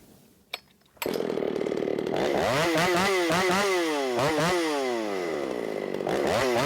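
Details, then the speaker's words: Ported Shindaiwa 757 chainsaw with advanced ignition timing, 24-inch bar, 8-pin sprocket, fuel richened half a turn after white plug: screams free, then pitch sags with each push into the cut; bogs under load, owner feels it needs a 7-pin sprocket. "one thing I definitely feel like it needs that seven pin sprocket on it I don't like it whenever I have to baby it through the cut and I did have to baby it a little bit through the cut right right there"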